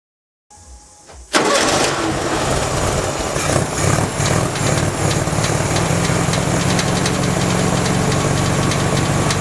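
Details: 1967 VW Beetle air-cooled petrol engine starting and settling to idle with an uneven knock running through it; newly developed knocking, cause unknown.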